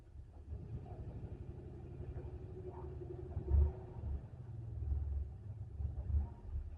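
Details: Turbo 5.3L LC9 LS in shop truck after new ECM and tune, suspected piston failure in cylinder 7: low, uneven idle rumble with skipped beats; misfiring cylinder, though it fires right up.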